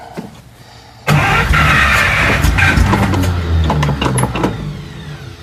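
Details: 1941 Buick Special on first start, steady uneven starter cranking for several seconds without catching; cranks but no start because the tank is almost empty of years-old gas.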